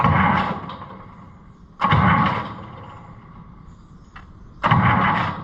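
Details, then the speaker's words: Allis-Chalmers 200 diesel feed-grinding tractor with dim lights that often only clicked instead of cranking; after refitting the ground cable it gives three short turnover bursts that catch cleanly each time, no lone clicks. A corroded, worn part is suspected. "I think it is I think we got her because it wouldn't do that before every few times it would click"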